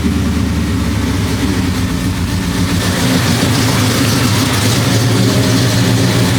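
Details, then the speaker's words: 1973 Impala 406 small-block Chevy V8 with AFR aluminum heads and FiTech EFI, after replacing a collapsed lifter and fitting 2-piece guide plates; even steady idle, smooth low rumble, no lifter tap. Normal idle. "So, but yeah, man, it feels good, man, having this thing fired up. And so far it seems like it's running smooth. I'm not hearing the lift and tap."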